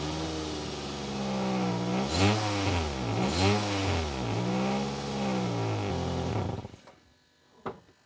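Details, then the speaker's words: Nissan Primera P12 engine blipped up and down several times with a raspy, puffing exhaust note; exhaust leak from a hole, owner judges it near the rear wheel, before a Holts Gun Gum bandage repair. "Well, that doesn't sound good. Hello there. Today we're in the Nissan Primera P12. There's a hole in the exhaust and we're going to fix it."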